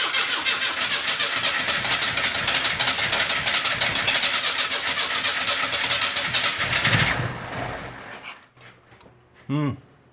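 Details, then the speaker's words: 1981 Camaro (titled as a 1982 Firebird), sitting in a garage for 25 years, fuel-injected, injector pulsing: steady fast cranking at roughly four turns a second for seven seconds without firing; owner suspects too much fuel or flooding. "It's definitely squirting in there. I don't know. Guess we just keep trying. It It seems to like it when I give it fuel."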